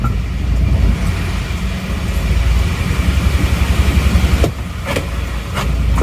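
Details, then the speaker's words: Isuzu Panther diesel with a crack found at the front: low, lumpy, shaking idle chug at about four uneven pulses a second with thick smoke; low rpm and fan-belt noise suspected. "mungkin memang efek dari RPM mesin yang terlalu rendah seperti ini kalau goyangnya Emang seperti ini terus suaranya itu saya rasa ini adalah suara ban kipas dan asapnya tebal gitu ya emang agak kasar dibanding dengan mobil-mobil Panther yang lainnya ya"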